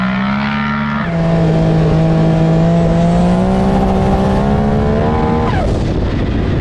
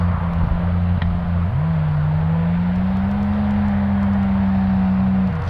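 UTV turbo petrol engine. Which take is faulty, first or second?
second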